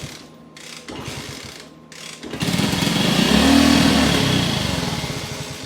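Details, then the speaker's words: 1974 Kawasaki KS125 revived after decades sitting, kick-started on choke from auxiliary fuel tank with carb cleaner squirted in: a few weak pops, catches and picks up briefly, then sags and fades; won't keep running, owner suspects carburetor. "So, I ran on that. It's running. Not staying running. Could be a carb."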